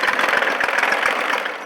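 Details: Small engine on a GC1720 tractor that died after running four minutes, full throttle, plenty of gas: chugs unevenly briefly, then fades and dies within two seconds; stalling after start.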